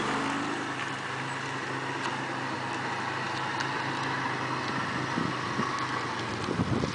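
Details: Mitsubishi 3000GT at idle: faint irregular sharp ticks over a steady engine note; suspected exhaust leak, possibly from the front, source unconfirmed.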